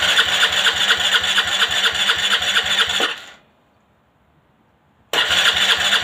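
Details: Aprilia Leonardo 125 scooter after a long time without starting: fast even starter churn about two beats a second, two-second pause, then more cranking without catching; extended cranking without starting.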